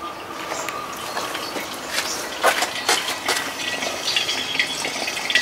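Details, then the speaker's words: Car hoist hydraulic ram being de-watered with a homemade vacuum tank driven by a small refrigeration compressor: irregular gurgling, slurping and clinks as water and oil are drawn up the line into the tank; working normally. "i can hear it oil start to hit the bottom of the tank oh you can see it coming up the line here there's water coming through yes yes it's working"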